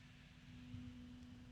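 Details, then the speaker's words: Arctic P12 Max PC fan near full speed: steady hum with a loud airy rush, no clicks or rattles; simply a very loud fan, much louder than the Noctua compared against it. "the low noise has disappeared because this fan is just so loud that's a noisy fan this makes the noctula look quiet"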